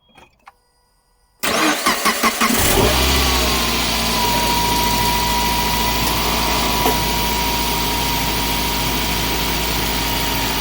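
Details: Suzuki J20 petrol engine cold start after replacing an accessory-belt pulley with a bad bearing: cranks briefly, catches and settles into a smooth, steady idle; the earlier tapping/knocking is gone.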